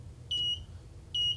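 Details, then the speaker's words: Kit-built metal detector at about 2.8 volts: two clean, high-pitched beeps, each about a fifth of a second and roughly a second apart, as pliers near the coil; a very small screwdriver went undetected; normal detection tone. "Yeah, see, it's catching that. What about these big pliers? Definitely catching that. So it is working."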